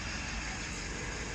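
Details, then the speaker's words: Mitsubishi Montero/Strada 4N15 diesel after throttle body replacement and fault code P0638 cleared, no check engine light or fault codes; even, steady diesel idle rumble, no misses, knocks or hunting; normal idle. "malinis na rin Ong system lahat ng system wala namang fult code bale normal lahat anan Okay na good job boys good job"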